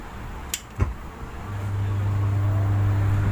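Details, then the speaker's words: Vivek PA 600-watt power amplifier in for service with hum complaint: a couple of clicks, then steady low mains-frequency hum; PCB burnt behind the filter capacitor, capacitor suspected of causing hum (transistor also suspected initially). "இந்த humming sound வருதுங்களா? ஒன்று transistor கம்ப்ளைண்ட்டாக இருக்கணும், இல்லைன்னா condenser கம்ப்ளைண்ட்டாக இருக்கணும்."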